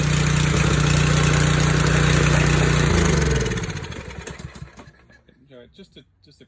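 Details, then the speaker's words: Kohler 179cc engine from Husky 2600 psi pressure washer, sat one to two years and would not pull over; engine bolted back on without the pump runs with a steady, even low putter, then winds down and stops. Runs fine; seized pump suspected. "slightly bolted it back on without the pump just to make sure it was running and working well which it does"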